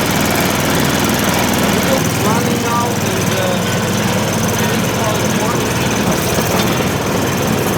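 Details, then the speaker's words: MTD Yard Machines 24-inch snowblower with Tecumseh 195 cc 5 hp engine, running after carburetor change and fuel bowl filled, choke used: steady, even single-cylinder clatter with no hunting or misses; engine running normally. "Since the snowblower seems to be working, it's about time to put a chute on."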